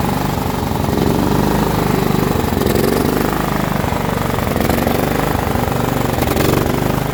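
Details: John Deere L110 lawn tractor that sat 3 years, fed fresh petrol: steady, even single-cylinder chug at constant speed with no misses or knocks; running cleanly.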